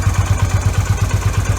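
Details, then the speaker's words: Yamaha V Star 250 after fitting an electric fuel pump and a manual petcock in place of the vacuum pump and original petcock: a steady, even thumping idle with no misses or surging. It runs good, with no fuel leak on a 20–30 mile ride. "Anyway, helps you out. I mean, you can see for yourself. It runs good."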